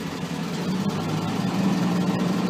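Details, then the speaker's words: Thermo King MD 200 refrigeration unit on a 2007 Isuzu NQR 450 truck, engine running; steady droning hum swells louder as the freezer is switched on; normal refrigeration operation. "see the fridge just got louder so that that means the freezer's on now"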